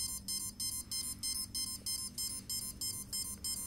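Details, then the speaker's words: CX20 quadcopter during ESC arming/throttle calibration: fast, even string of high electronic beeps, about three a second; one ESC went into programming mode (four-beep pattern). "Because right now, one of the ESCs actually went into a programming mode. Now if you can hear the beeping, the one went beep, beep, beep. Beep, beep, beep, beep, beep, four beeps. That one's actually in a programming mode."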